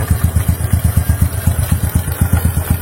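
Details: Motorcycle that would not idle, after fixing a leaking intake manifold with the idle setting unchanged: steady, even putt-putt around seven beats a second with no stumbling or hunting; idle is normal again.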